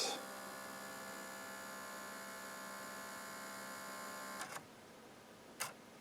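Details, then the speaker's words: 18-year-old NAD L53 DVD receiver that refuses to play discs, cover off: steady whirring hum for about four seconds while seeking and focusing, then a click as the drive gives up; owner suspects a damaged motor. "it gives up yeah I happen to think this motor might have a problem"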